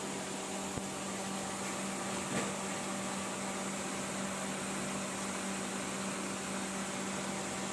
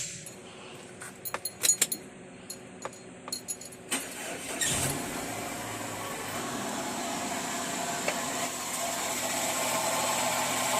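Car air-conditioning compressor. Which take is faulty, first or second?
second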